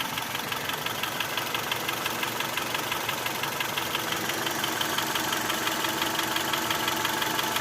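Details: Honda Accord 6th gen (CF3, F18) at warm idle after warm-up: fast, fairly even ticking knock about three per second over the engine; knock persists when warm, source undetermined.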